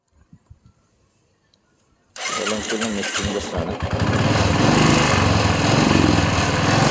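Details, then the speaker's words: Royal Enfield Bullet single-cylinder motorcycle starts and runs with an uneven, stumbling misfire; rain got water into the fuel, which is drained to fix it. "Missing ആണ് കേട്ടോ വണ്ടി മഴ ആയതുകൊണ്ട് കറുവെട്ടിൽ വെള്ളം കയറിയതാണ്"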